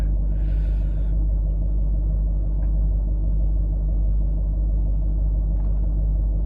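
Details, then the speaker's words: Range Rover L322 TDV8 diesel that idled rough and shook at startup, now after Cataclean fuel-system cleaner and driving, with injector balance offsets within spec. Deep, even diesel rumble with no stumbles or surges: normal smooth idle, problem sorted. "So they're all relative, they're all within spec, and I think we're good. It's idling perfect, so I think that has probably sorted our issue out."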